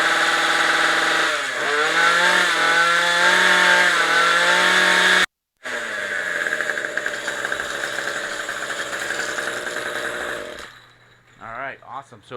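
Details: Craftsman Speed Start trimmer power head, after carburetor replacement with a leaking fuel line not yet replaced: the small two-stroke buzzes up, revs rise and settle, then it cuts out. It fires and runs cleanly.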